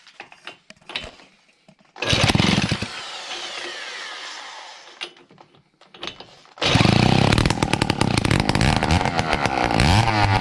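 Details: Two-stroke engine of an 88 mob-cross endurance racer at its first start: buzzy crisp bursts of revs that drop back and pull hard again, running clean and strong; normal running.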